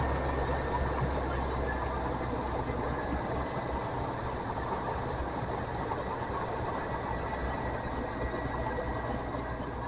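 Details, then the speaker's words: 1988 GMC stock truck just after parts refitted, starter previously replaced: low, steady rumble holding an even idle with no misses, stumbles or knocks; normal idle. "Well, there we go. We got the parts back in. Truck's running good now."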